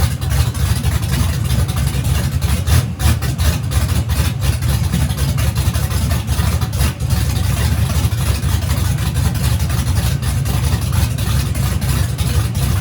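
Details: Turbo race engine at its third or fourth first fire-up after a teardown this year, headers fitted but turbo hot side not yet installed. It catches and keeps running with a loud, deep, choppy race-cam idle, no knocks or grinding, running fine.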